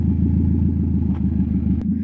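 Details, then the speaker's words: Toyota MR2 at steady idle, straight-piped with the dump pipe venting onto the ground and no exhaust fitted yet: loud, raw, rapid unmuffled pulsing bark; loud open exhaust. "also it's straight piped right now basically the dump pipe is just let out onto the ground somewhere about right there so it's super loud you're probably not going to hear how loud it is in a camera but it's loud so just trust me on that"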